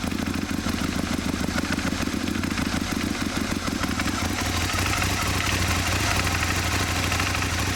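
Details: Aprilia Mille R V-twin idling at first startup, with a light, uneven ticking and knocking clatter over the deep engine note; owner asks what the problem is.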